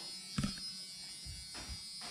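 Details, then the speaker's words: LS-swapped Chevrolet C10 truck before first start: key click then a faint, steady high electric buzz for a couple of seconds as the fuel pumps prime, tank still without gas. Normal fuel pump prime. "Let's see if we can hear if these pumps come on. See if we got fire when we stick the key in."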